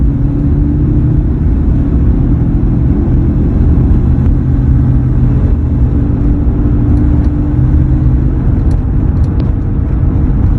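A steady low hum sits under the road rumble at an even pitch while cruising; the source is unclear and needs tracing.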